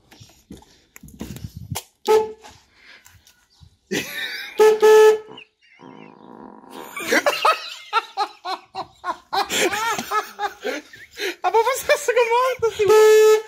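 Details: VW Golf 2 1.8 RP, one of two horns defective and fuse blowing, after fitting fuse: several short toots and one longer blast, each a clean steady single tone; horn sounding properly.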